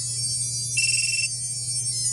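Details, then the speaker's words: Hellgate FPV buzzer on a quadcopter, heard when the battery is connected: a bright, high, tonal electronic melody plays briefly as the buzzer initializes normally. "And that's I initialized the quad box. It has quad box on there for Hellgate Buzzer."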